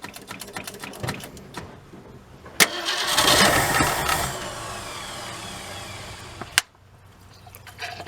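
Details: 1967 Ford Galaxie 500 with a 289 two-barrel, first start attempt after 25 years: the starter spins the engine steadily for about four seconds but it never fires; fuel not reaching the carburetor suspected, so a fuel pump and filter are planned.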